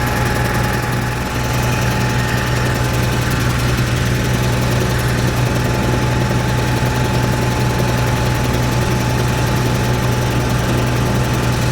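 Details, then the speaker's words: Cat 3306 reported not carrying a load and sounding weird: low rough chugging with an uneven, loping, popping beat that keeps stumbling; pulling number six plug wire made no change, single-cylinder misfire. "I can I can hear it's it's missing right now sounds like it has a valve or something it's popping"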